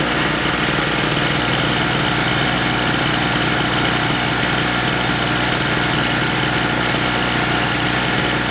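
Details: King Canada 950 W two-stroke generator, long-sitting no-start, after plug tightened and carb work: steady, even buzzing run with no misses or surging, holding one speed; idling healthily.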